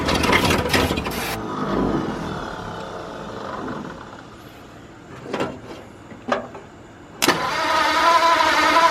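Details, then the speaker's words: 1953 Ford truck, new engine first start, after verifying number 1 at top dead centre, no coolant hooked up: crank and a loud catch, the engine falters with sputters, then fires again and settles into an even run. "Call that running. Alright, I don't have coolant or anything hooked up to it, but I'm going to call that a success. It runs."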